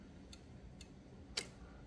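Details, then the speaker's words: Olivetti Lettera 22 typewriter escapement, key pressed: three crisp, light ticks about half a second apart, last sharper; escapement slips off fixed dog to loose dog, carriage stepping normally. "you can see that it moves just there as I press a key the escapement slips off of the fix dog right"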